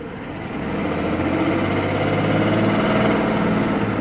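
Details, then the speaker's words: 1993 Mercedes-Benz S600 W140 V12 after wiring harness replacement: starts and idles smoothly with a steady low hum but gives no throttle response; owner suspects air mixture, others suggested catalytic converter, cause unclear. "watch all start up again where you see I'm not having a throttle it fires right up idles you really almost know nothing was wrong with it"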